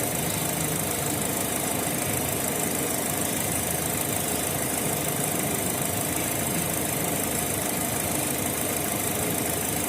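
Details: Opel Z18XE petrol engine with Siemens Simtec 71.6 ECU; uneven, rough, stumbling idle from misfires caused by a faulty engine control unit.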